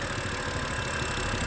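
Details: 2011 BMW E90 M3 idling after new valve cover gasket and CCV valve, smoke from rear: lumpy idle with a low stumble every few beats; codes for cylinder 2 misfire and banks 1 and 2 lean.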